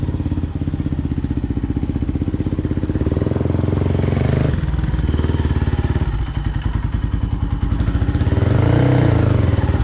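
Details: 2005 Polaris Predator 500 single-cylinder on first road test after full engine rebuild, thumping steadily and pulling cleanly through five gears with no knocks or rattles; sounds healthy.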